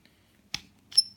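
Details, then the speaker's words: Sherwood SR2 scuba regulator adjustment knob after cleaning and refitting the top cap with a 4 mm hex wrench: dry click then two short, high, thin squeaks; adjuster still squeaks but still works. "it still there's still noise it is what it is still works"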